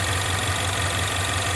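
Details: 2016 Ford Mustang 2.3L EcoBoost, replacement engine installed elsewhere, 128,572 miles, check-engine light flashing: rough, uneven idle with lumpy low throb under steady hum, car shaking badly; misfiring at idle.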